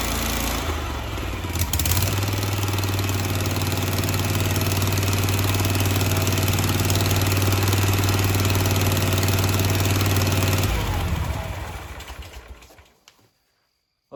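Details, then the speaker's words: Grasshopper 727KW with a Kawasaki FD750D twin after cleaning the gummed-up side of its two-barrel carburetor: it starts and settles into a steady, even idle on both cylinders. Normal running. "that sounds much better um so again we weren't firing on this cylinder and it wasn't a coil issue it wasn't a spark plug issue but it was actually the double barrel carburetor one side was really gummed up"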